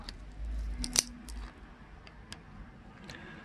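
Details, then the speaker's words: Carbon fiber bicycle seatpost clamped and squeezed with pliers to test weakness; one sharp, dry crunching crack near the one-second mark, then near silence: the carbon tube cracks under the clamp. "어우, 네, 아작아작거리죠? 여기 크랙이 갔어요. 이렇게 크랙이 갔죠."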